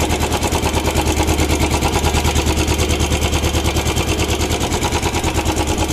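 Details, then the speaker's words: Used Royal Enfield Bullet Standard checked at idle with a hand over the silencer outlet to quiet the exhaust: a slow, even big-single thump at about two beats a second, with no tapping, knocking or odd engine noise. Normal idle. "और आप देख सकते हैं engine में से कुछ ज्यादा आवाज नहीं आ रही"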